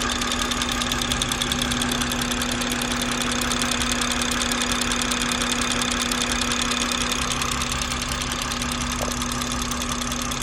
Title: B58 loud ticking noise